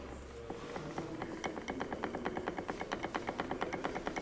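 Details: Lada Niva transfer case at 26,000 km, turned on the bench before fitting an AVT locker: steady sharp metallic clacks, about three a second, as free play takes up; excessive backlash, with transmission knocks present even on a factory-good unit.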